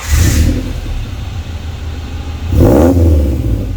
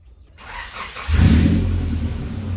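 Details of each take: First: Honda wagon after installing a new Vibrant Performance muffler in place of a bad one: revs up and settles repeatedly with deep, slightly raspy exhaust, no rattling or banging; quieter than before, normal exhaust note. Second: And this is what it sounds like if it was open header.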